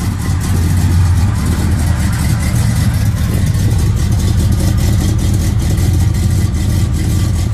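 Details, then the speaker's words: 1969 Impala small-block Chevy with Holley carburetor just adjusted: deep, steady V8 idle with slight cam lope, even firing, no misses or knocks; running healthy. "But I got this bad boy exactly how I want it, y'all. Let y'all hear it. Pretty good."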